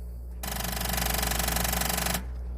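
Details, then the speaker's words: 1999 first-generation Honda CR-V that gives a rapid machine-gun clicking when the key is turned and won't crank, as too little power reaches the starter. A new battery didn't help because the battery cables were corroded; new cables fixed it. "you know when you go to start it if you're having this problem and it just gives you that machine gun sound you know T it's not just the one click but it's the rattle"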